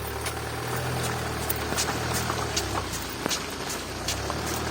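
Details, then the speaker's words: Range Rover Evoque, left front: rhythmic crunching knock two to three times a second with wheel rotation over low engine hum, heard from outside; wheel has heavy play, failed hub bearing, knocking stabilizer link with torn boot. "вот как хрустит колесо короче короче меч подшипник менять привод освобождать станет понятно так или иначе то элиту стучит стойка стабилизатора"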